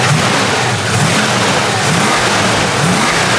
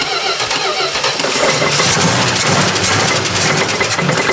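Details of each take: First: 1970 Plymouth Duster 340 V8, revived after sitting 30 years, idling after an oil change while the idle is being set. Steady even lope with the earlier lifter tick gone, likely a stuck lifter that pumped up; healthy idle. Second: 1970 Plymouth Duster 340 after sitting 30 years, fuel pump condition unknown: long cranking with brief bursts of firing kept alive on brake cleaner that die back; not yet picking up fuel from the tank.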